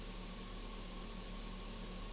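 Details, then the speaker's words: 2005 Silverado 1500 with the 5.3L LM7, lean codes resolved, idling at about 550 rpm and holding within ±20 rpm of the requested idle. Low, steady droning hum with no surging or dips. Normal, stable idle. "we're kind of getting a nice you know plus or minus 20 RPM maintenance to that idle that requested idle"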